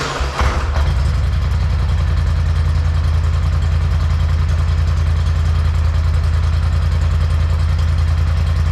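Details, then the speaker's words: 2021 Polaris Sportsman 850 Highlifter ATV on the stock exhaust, before the straight pipe is installed, cold start: deep, steady, slightly choppy low thump at idle, even and regular. Normal healthy idle. "it already sounds pretty good it's kind of like a choppy sound so i'm gonna go ahead and start it"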